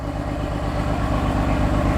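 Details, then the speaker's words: 2020 Corvette C8 on cold start: low, choppy idle with uneven pulses and wavering level, engine shaking, no check engine light. Rough idle. "It's on cold start. And it's shaky. Shaking right now, guys. I don't have an engine light."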